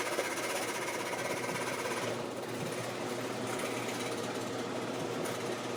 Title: Maytag Performa washing machine noise 1 of 2